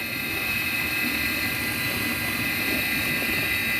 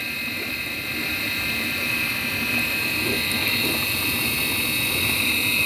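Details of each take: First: Midea dishwasher after the seized wash motor was freed (it had stuck because the water was gone), covers not yet refitted; bearing not replaced. Steady, even motor hum with a faint high whine and no grinding, rattle or knocking; the wash motor is running smoothly. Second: Midea dishwasher wash motor running with a steady high whining hiss from a worn motor bearing. The motor had stuck after running without water, and grease has been applied. If the customer does not agree to take it back as is, the bearing will be replaced.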